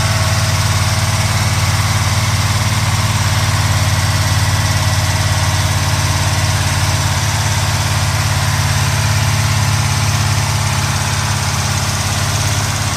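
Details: 1970 Pontiac Trans Am Ram Air III, 469ci stroker on pump gas: ported Edelbrock aluminum heads, Lunati hydraulic roller cam (231/239, 110 LSA), 10.5:1 compression, freshly built. Deep, steady rumble with even pulses and no ticking or knocking. A normal, clean idle.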